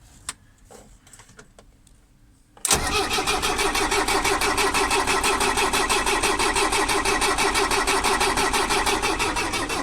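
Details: Mercedes 609D diesel: the starter cranks at an even three beats a second for about seven seconds and the engine never catches. Cranks but won't start.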